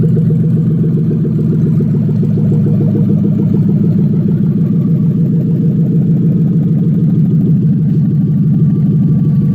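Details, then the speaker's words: 1994 Lexus SC400 1UZ-FE V8 running on an engine stand, fuel pump wired to a controller that varies pump voltage: steady, even, smooth low idle with no misses, knocks, ticks or surging. Normal idle. "almost no return tool pretty little wasted energy that's pretty cool i smooth idle"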